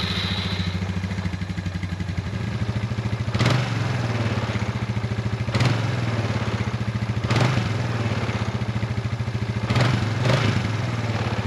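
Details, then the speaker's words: Suzuki Ozark 250 ATV after carburetor replacement, oil change with 10W-40 and tune-up, started with a little choke: single cylinder chugs at a steady idle with a few sharp snaps and brief rev rises, holding idle without stumbling. "So, let's see what happens when we fire it up. A little bit of choke."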